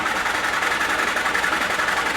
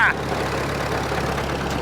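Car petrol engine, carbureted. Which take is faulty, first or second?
first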